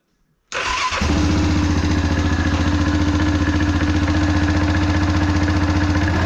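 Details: Yamaha Grizzly 700 ATV just after one-way bearing installation, fresh 2.1–2.2 quarts oil, code 22 on dash, in neutral; cranks, catches within a second, steady even idle around 220 pulses a minute, no clanking; normal start and idle.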